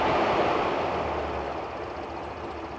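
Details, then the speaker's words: 1985 Porsche 928, in park, just started after sitting: settles into a smooth, even run with a steady rhythm, no skips or knocks; normal idle. "all right so we got her running I'm really pleased about that"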